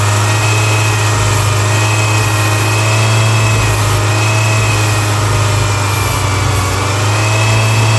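Steady low idle hum with a faint thin whistle riding high above it, fitting an engine sucking air through a big vacuum leak.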